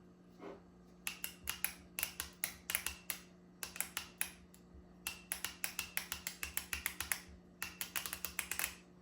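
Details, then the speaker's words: Solenoids removed from a 1993 Honda Accord automatic transmission, cleaned with brake cleaner and bench-tested on a battery; quick crisp clicks each time power is tapped, so the plungers work, though one sounds a little weaker than the other. "Okay, they both seem to be working. I don't know if you guys can hear it."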